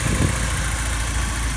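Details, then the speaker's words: 1986 Porsche 944 N/A, 5-speed manual, 143,000 miles, just bought: smooth even low idle rumble with steady beat, no knocks or misses; runs pretty well. "The previous owner had to change it out, and so we'll fire it up, see how it runs. Runs pretty well."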